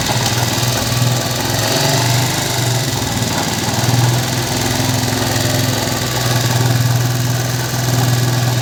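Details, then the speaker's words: Motorcycle after replacing the cushion gear and main gear to cure engine noise: even single-cylinder idle with a soft steady beat, no gear whine or clatter; engine now sounds healthy, slight remaining noise attributed to tappet. "आप check कर सकते हैं इसमें आवाज़ वगैरह बिल्कुल नहीं है, बिल्कुल इंजन ओके हो गया है, इंजन वगैरह ओके हो गया है।"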